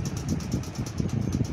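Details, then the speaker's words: Ceiling fan running with a steady low hum and a rhythmic whooshing pulse several times a second, an abnormal noise whose source is not yet found; a loose upper canopy or a failing motor are possible causes. "यहां पर देखिए हमारे सामने जो ceiling fan चल रहा है इसमें से आप सुन सकते हैं या ऐसा हमारा साउंड निकाल रहा है ये देखिए सीलिंग फैंस हमारा साउंड निकाल रहा है"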